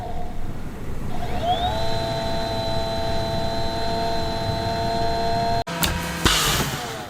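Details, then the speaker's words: AMD Radeon Fury X AIO water cooler after a coolant refill that could not get enough fluid in: at power-on pump whine climbs and settles to a steady harsh high tone, air still trapped in the loop. "it's definitely still making the same noises hear that"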